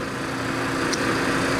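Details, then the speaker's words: Victor Precision heavy-duty lathe run forward, then e-stopped. The motor keeps a steady mid-pitched hum with no spin-down until it finally kicks out. The forward-direction contactor sticks and must be replaced; in reverse it spins down normally. "that motor is still spinning there should technically be no power going to this unit so what i found out oh it just kicked out on us so what's happening though is this unit that that contactor that with the light on it this one is the one that controls the forward direction it sticks"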